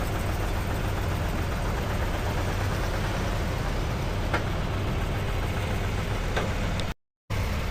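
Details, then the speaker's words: Cadillac Escalade 6.2L V8, about 45,900 miles, freezing cold, started by tow driver after engine failure: steady low idle with faint, irregular tapping over the rumble; definitely knocking, lifter knock. "so he's going to start it it's definitely knocking definitely knocking"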